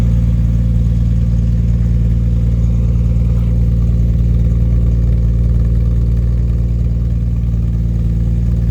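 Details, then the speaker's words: 1989 Jaguar XJS V12 coupe with straight-through stainless pipes replacing rear mid silencers: smooth even low drone with steady quick pulse, no knocks or ticks; normal running. "Yes, that sound up at 4,000-5,000 is exactly what I wanted it to sound like. That's brilliant. Maybe it needs an X pipe, though. It's that high pitch I really like."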